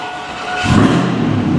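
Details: 1999 Chevrolet 1500 with 5.3 V8, crank-no-start after customer replaced battery and starter, after repair restoring crankshaft position sensor signal: short crank, then the engine catches and settles into a steady, even run; normal start.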